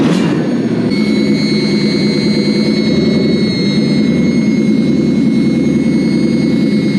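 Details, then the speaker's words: Toyota 1UZ-FE Lexus V8 conversion newly wired to a Link Monsoon ECU: catches and settles into an even steady run with no misses, knocks or hunting; now runs like it should. "Sounds good though. Yeah. Vroom vroom. It now runs like it should."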